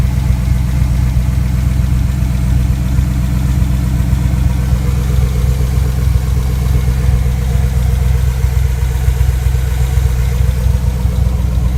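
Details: Freshly rebuilt GM 5.3L V8 (bad lifter replaced) at steady idle with a faint, loosely regular top-end tick; ticking at idle, possible cam problem suspected, not confirmed.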